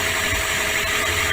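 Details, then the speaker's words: 2002–06 Toyota Corolla 1.3 L 2NZ-FE petrol idling with no load, accessories off, fuel pressure steady at 47 psi (spec 44–50): short, steady four-cylinder idle, even hum, light injector ticking, no misses or surging; normal idle. "this reading is being recorded with engine running at ID and there are no uh extra load on the engine all the accessories are off"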